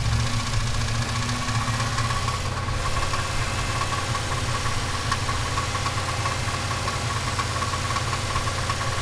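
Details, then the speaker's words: Turbocharged 5.3 V8 Chevelle engine settling from revs toward idle, with a rough metallic rattle riding over the exhaust note. The rattle is also present on revving around 2,000 rpm and has grown louder over time; its source is unknown. "that it's noisy on uh when it revs down too"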